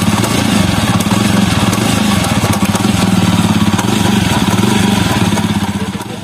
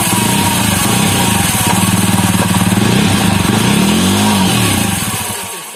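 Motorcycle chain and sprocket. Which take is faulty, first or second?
first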